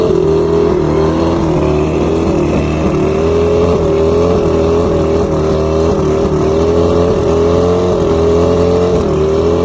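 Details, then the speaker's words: Outboard after plugs checked, fuel pump and carbs rebuilt, trigger loosened, spark confirmed on all cylinders: wobbly, hunting idle with faint thin chirping on top; rough running, cause still unknown. "Okay, so now I've checked the plugs, rebuilt the fuel pump, rebuilt the carbs, got the trigger loose, you know, got it idling. I still have a chirp, which is driving me nuts."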